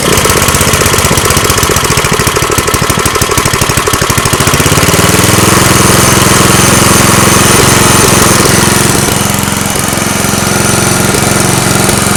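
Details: Generator running on a homemade tri-fuel conversion kit; loping, stumbling uneven firing about three beats a second, never smooth, lean-sounding: rough running. Owner suspects the hose's tiny inner diameter restricts fuel flow; unconfirmed.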